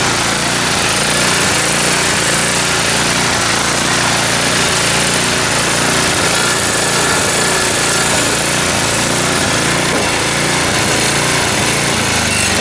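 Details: Neglected snowblower, small single-cylinder engine of about five to five-and-a-half horsepower, run after filling the oil: steady, fast, even buzz with no surging or misfire over the whole run; healthy engine.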